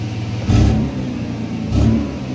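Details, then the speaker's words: Truck with an intermittent misfire, engine revved in short bursts with a slightly uneven pulse and hesitation; scope synced to cylinder six shows an ignition miss on number three cylinder. "okay A bit of hesitation gonna look at the screen [Music] okay and pause it kill the engine first now let's go back look for the odd man out started misfiring there it is neatly gone so that's an ignition Miss"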